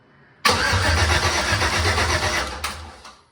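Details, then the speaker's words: Jeep with an LMG LS swap and replacement heads: starter churns the engine steadily for about two seconds without catching, then winds down. The spark test light stays off; owner suspects fried coil packs, unconfirmed. "However, it doesn't. That leads me to believe that the cold packs are possibly fried."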